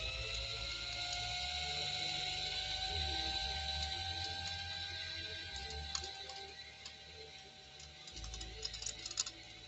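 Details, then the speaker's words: 1965 Viking Husqvarna 2000 sewing machine during restoration, winding a bobbin with a finger on the hopping thread: steady even motor hum with light ticking from the thread guide; normal, smooth bobbin winding. "and you can see this thread up here i kind of keep my finger on it because it gets real happy and starts hopping"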